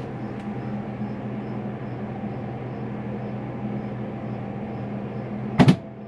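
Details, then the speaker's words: RV generator started to power the slide-outs: steady generator hum, then after 10–20 seconds a sharp double clunk as the transfer switch flips over to generator power, which is normal. "heard that funk. That funk is it flipping over and letting me know that I now have generator power."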